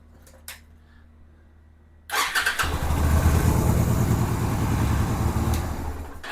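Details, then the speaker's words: 2007 Yamaha Virago 250 after a replacement CDI and fixes to the charging system: quick crank, the twin catches at once and settles into a steady, even idle with no misses or knocks; starts and idles normally. "And it idles and runs good."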